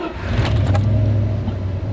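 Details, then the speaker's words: Car at 144,457 miles, barely driven over winter over a suspected gas leak that wasn't one, radio off: engine catches quickly, settles to steady even low rumble without knocks or misfires; normal start, front end and rear end noises noted separately. "you can see, it still starts up perfectly. Had no actual problems with anything mechanically."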